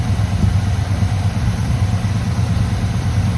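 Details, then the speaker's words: 1985 GM square-body truck that sat at least 10 years, first start after hooking up the fuel supply. Cold engine on a working choke: deep, even low rumble with a steady beat and no lifter knock or misses. Healthy cold idle; mixture to be adjusted once warm. "sounds beautiful once it warms up a little bit I'll adjust the mixture"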